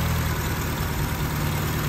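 Even, steady low idle with no knocks or misses, engine settled and running smoothly while waiting for the fan.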